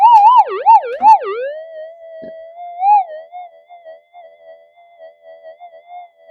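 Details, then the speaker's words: Modified pulse induction gold detector on slow tracking over a big hot rock: a warbling wah-wah tone fades within a second or two into a steady, even threshold hum; hot rock signal tuned out by ground balance. "yeah got rid of that as well no problem whatsoever on the worst of the worst Hot Rocks"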